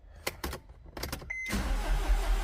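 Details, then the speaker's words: Mercedes with no fuel to the rail: a few clicks, then the starter spins the engine steadily but it never fires; crank no start with no crank sensor engine speed data and no fault codes; a crankshaft sensor is suspected, not confirmed. "We're not cranking anything. There's no data."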